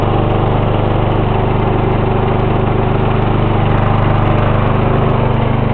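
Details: 1994 Lawn Boy with 2.5 hp Briggs & Stratton engine, cold start after sitting about a week: catches and settles into a steady, even buzz around three and a half beats a second; runs clean and healthy.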